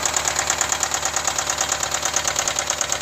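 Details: 2010 BMW X5 E70 4.8i, N62B48 V8, 64k miles: sharp, crisp ticking knock about three times a second over a steady idle; engine knock of unknown origin, owner asking for ideas.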